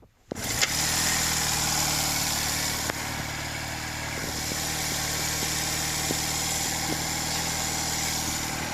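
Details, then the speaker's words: 46-year-old Honda CD175 after restoration, first start with choke on: catches on the first kick and settles into a smooth, even, very quiet idle, no knocks or misses; healthy, needs a slight tweak. "But whoa, it's so quiet, I can't hardly hear the thing. I need to just give that a bit of a tweak, I think, whilst it's running."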